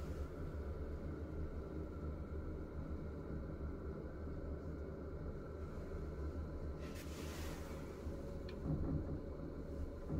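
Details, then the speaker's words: Running bathroom exhaust fan: steady low droning hum as its vibration carries into the ceiling panel, which buzzs; loose ceiling tiles resting on the ceiling framing are the suspected source. "지금 보시면 환풍기가 돌아가면서 지금 이 최종 계통이 진동이 생기는 데요"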